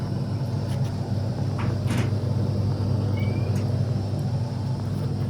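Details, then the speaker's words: AEG Electrolux Lavatherm 59800 condenser dryer that was not heating, running fully reassembled after repair. Loud but steady low rumble from the motor at the back, no knocking or scraping; now dries normally. "And I can actually hear the motor. Didn't realise it's so noisy. I can actually hear it at the back there, whereas before I just assumed it was working."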